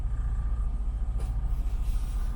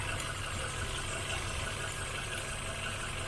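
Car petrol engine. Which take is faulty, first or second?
first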